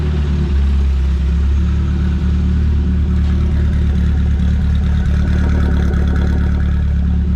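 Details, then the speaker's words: Renault 5 GT Turbo engine in a van, first start after build, base idle set and parameters adjusted; deep even idle with steady low throb, no misses or knocks; runs lovely, exhaust and fuel lines still to sort. "set the base idle went over a few parameters and it runs lovely it runs right"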